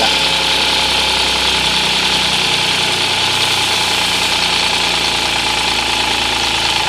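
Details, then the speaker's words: 2014 Audi S cold start: a busy metallic rattle ("la-la-la") plus a croaking ("gua-gua") over the idle that builds and fades, obvious cold but not heard warm. Cause unconfirmed. "它发动机上面有2个声音。一个是啦啦啦啦啦啦啦的声音，一个是呱呱呱呱呱的声音。"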